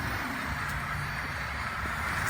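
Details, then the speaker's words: Mighty Mule 350 (GTO) gate opener, after DIY repair of beeping and failure to work: smooth, constant, slow motor hum with no beeps or hesitation as the gate travels; opener running normally. "not the the fastest thing in the world but it works bore you with this it's like watching paint dry"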